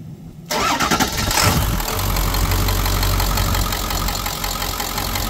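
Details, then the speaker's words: Ford Excursion 7.3 diesel, rebuilt after wreck with new water pump, started via yellow wire since key switch fails (suspected neutral safety switch): catches quickly, steady even idle, no knocks; revs and shifts good; finding: normal cold start and idle. "sounds good no drama no weird stuff rev's good shift's good"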